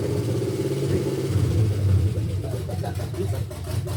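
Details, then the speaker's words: 1971 GMC C10 with fuel-injected 5.3L LS swap, first start: heavy, uneven, lumpy idle stumbling between throttle blips, smoky and running super rich, sounds heavily cammed though believed stock; owner suspects tune and very old gas. "It's running super rich. Sounds like it's super cammed."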